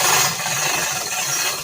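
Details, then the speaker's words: Chain hoist lifting Robin 2PG engine out of EZ-GO golf cart: quick dry ratcheting clicks as load rises, even and crisp; locking pawls now engaging each link normally after earlier not engaging. "hear that clicking that's the locks engaging like no white wasn't engaging earlier see now the chain doesn't fall on it those locks are clicking as it goes up"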